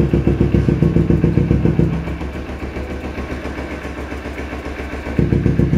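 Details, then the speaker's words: Kawasaki Ninja 250R carburetor motorcycle, used-bike purchase check: steady idle pulsing three to four beats a second, note deepening while exhaust is blocked, no choking or stalling; normal idle, engine healthy. "Oke kita nyalain motornya Suaranya kayak gimana hai hai hai hai hai oke Bismillahirrohmanirrohim suaranya bulet-bulet banget enak dan suara mesin juga masih enak banget"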